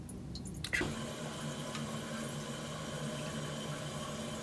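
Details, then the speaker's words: Toilet with a flapper not sealing, letting water seep into the bowl while the tank refills; a steady hiss and trickle with nobody flushing. "this toilet has two problems if you hear right now water's filling in at the time now you can hear a trickle so commonly that is the flap"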